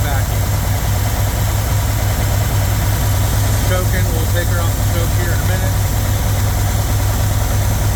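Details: 1977 GMC Sierra Grande, small-block Chevy 350 V8, after valve adjustment with valve covers refitted and a vacuum gauge fitted: steady, even idle with a smooth low rumble and no ticks or misses. Idle is normal.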